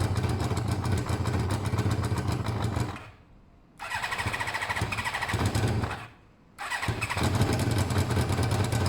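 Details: Motorcycle just rebuilt with its coolant topped up, with pod air filters: it catches and runs ragged, dies away twice and restarts, never reaching a steady idle, struggling as the pod is pulled forward; the owner suspects restricted intake air.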